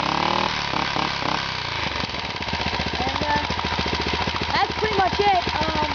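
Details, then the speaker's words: Freshly rebuilt Honda 2.5 hp single-cylinder engine with a custom muffler, bound for a go-kart, still cold: crisp, even firing climbing smoothly to a high fast buzz with no knocks. It idles low, smokes slightly at start and stalled once before warming. "It needs to warm up. But it does rev pretty high."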